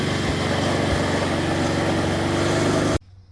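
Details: Snapper 4/22 vintage snowblower, small single-cylinder engine after repair of broken impeller and blown auger gearbox and bearings, with throttle linkage freed: runs at a steady, even speed, no surging or over-revving, then shuts off cleanly; normal running.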